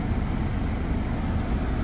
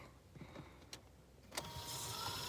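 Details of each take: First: Opel Combo heater blower on fourth (top) speed after blower motor replacement, blowing to windscreen: strong steady rush of air with even low hum, no rattle or squeal; healthy, more powerful than before. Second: Opel Combo heater blower motor, removed and bench-run: clicks, then rising whine and steady hum as it speeds up and stops, also at fourth speed; sparking seen inside; blower motor stalling, replaced with a new motor.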